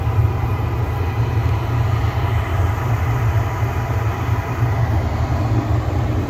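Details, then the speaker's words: Gas furnace after cleaning a debris-clogged pressure switch port, igniter on then burners firing: steady, even low roar with no popping, surging or rumble; burners running smoothly, gas pressure 3.40 inches water column. "Here's our igniter, it's coming on. Gonna wait for the gas. There we go. The burners are on right now."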